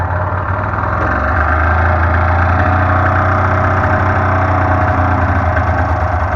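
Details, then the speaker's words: Modified 1993 Polaris Indy 440 two-stroke snowmobile after two years sitting, started with ether: uneven idle at roughly three beats a second with a lumpy, hunting rhythm, then it dies; running rough, possibly from sitting. "oh of course it dies so it is running it's not that's not running great but that might be to the fact it's been sitting for like two years doing absolutely nothing"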